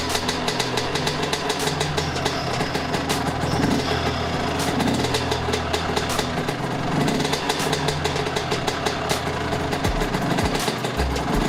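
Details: Suzuki RM 125 two-stroke after a rebuild (cracked case split and repaired, new piston, crank and transmission inspected): crisp, fast idle with a light buzzy exhaust note, steady and even throughout; the engine sounds healthy.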